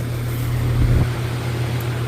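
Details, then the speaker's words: Home AC unit running on a ~77°F day, blowing cool air: only steady low fan hum, no compressor kick-in; old capacitor suspected, compressor not starting. "I don't know if I hear that compressor. Not think I do. No. No compressor. No compressor. I don't know if y'all heard that. Old cap."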